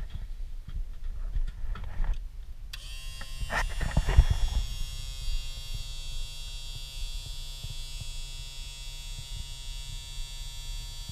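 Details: Boat bilge pump after rewiring (wires had been connected wrong, 12-gauge heat-shrink terminals) with a new float fitted, following an overnight run-on after house batteries died: after handling knocks, the small motor starts and settles into a steady, even electric hum; running normally.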